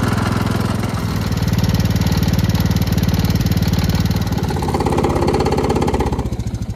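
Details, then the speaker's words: Gravely Promaster 50 mower after sitting two years, plug reconnected, restarted out of gear: steady low thumping beat at an even idle with no misses or knocks; engine runs well, though the rotted mower deck vibrates badly. "Well, it ran and worked good, but this mower deck is so shot."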